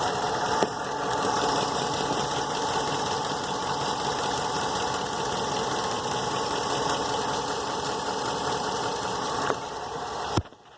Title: 08 Ram 1500 engine knock